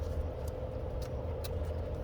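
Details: Motorbike after the chain guard was tied up to cure a slight rattle: steady, even low engine drone with a constant mid tone and no rattle; normal running.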